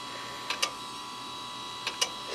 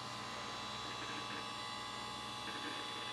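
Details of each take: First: Western Digital 10GB IDE hard drive in a Windows XP SHOUTcast server, in service since 2009, unknown prior hours; quiet hum broken by pairs of sharp clicks about 1.4 s apart, classic click of death. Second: Hard drive in an old Windows XP streaming server, partition just resized and undergoing a disk check: rapid uneven crunching and ticking of head seeks over a steady spin whine; normal hard drive seek noise.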